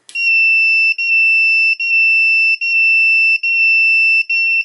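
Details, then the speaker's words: 800W pure sine inverter powered from a bench supply set to 12 V (nominal 2 A), high inrush at switch-on: shrill beeps repeating about every three-quarters of a second, low-voltage warning until internal capacitors charge. "That's because it's a low voltage. Now, in the internal capacitors, after a couple of times, it will charge up, and then it would operate normally."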